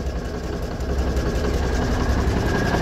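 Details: 1985 GMC General diesel idling after new belt fitted (kept throwing ribbed belt; pulleys need cleaning): deep, steady even rumble, no knocks or misses; idles smoothly.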